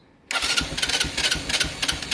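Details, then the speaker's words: Keeway/Benelli 125cc motorcycle after carburettor clean, silence then instant catch on first turn into a light, slightly uneven popping idle; normal start, idle a bit low. "this bike is going to start first turn off the key absolutely no doubt at all"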